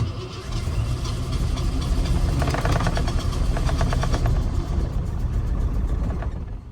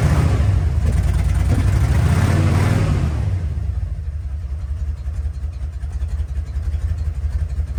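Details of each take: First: 1988 Ford F150 XLT Lariat 2WD: starter turns, the engine catches and runs a few seconds, then dies because the faulty ignition switch in the steering column cuts the fuel pump when the key is released. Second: 1988 Ford F150 XLT Lariat 2WD with the muffler cut off after being brought back to running: loud, throaty rev settling into a steady, even rumble with a regular low beat; a normal start and run.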